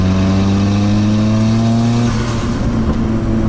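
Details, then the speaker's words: Nissan 180SX with stock turbo, stock tune and stock injectors, heard from the cabin at wide-open throttle: loud, raw roar climbing with revs, then dropping off as the throttle lifts; giant exhaust leak, possibly also causing lean readings at wide-open throttle. "we got exhaust porn in here because we got a giant exhaust leak can't roll this window down"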